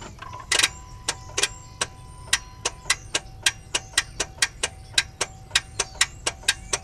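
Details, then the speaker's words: 2009 Honda CR-V K-series engine, battery 12.4 V and a jump applied: sharp dry clicks about three per second on each key try, no cranking; starter failed. "I think the camera can hear that this cranking is not there. And they do have problem with starter at 100,000 mile plus."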